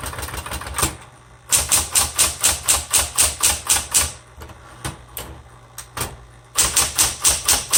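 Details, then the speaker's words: 1960s Smith Corona Coronet electric typewriter, repainted, color selector on black: a steady low motor hum under crisp bursts of key strikes about two per second, carriage even; working properly, slightly noisy. "This types really well. It's a little noisy, but it types really, really well."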